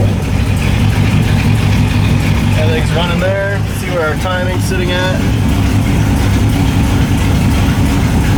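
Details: LS1 V8 in a BMW E30, just fitted with a new MSD 6014 box replacing the 6010, first start after a coolant temperature sensor alert: loud lumpy rough idle; cause not found.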